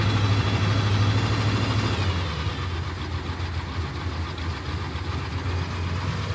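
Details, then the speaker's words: Suburban 6.2 Detroit diesel running cold after 25°F start via manual glow plug button, smoking heavily: deep even diesel clatter about three beats a second, settling slightly; healthy cold idle. "But yeah, she's cold if you can't tell. She's smoking like a son of a gun. You can hear all that mechanical stuff in the engine, dude."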